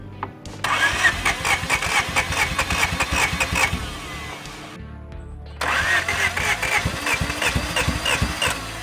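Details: 1987 Acura Integra first start after a new thermostat, alternator, intake gasket, spark plugs, header and injectors, with 10W-40 oil: cranks and catches, stumbles off, then fires again into a rough but steady idle; normal start and idle.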